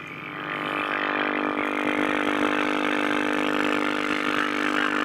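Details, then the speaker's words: Likely 1960s Shaftesbury Japanese midget valve (tube) medium-wave radio warming up after switch-on: a steady buzzing hum swells in and holds a constant pitch while it tries to tune stations. The failed smoothing capacitor (150 working volts) lets mains ripple through and needs replacing. "as you can hear is trying to bring stations in but because of the the uh the capacitor failing it's um allowing Ripple to get through and uh causing quite a bit of noise"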